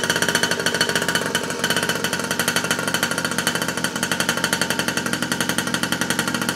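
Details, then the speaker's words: 47cc two-stroke mini pocket rocket bike, first start after reassembly with no gas leaks: fast, even buzz with crisp regular firing pulses, no misses or rattles; running normally. "okay let's get ready for the first start since I rebuil it well not really rebuil it but put it back together together here no gas leaks and it sound like to come live"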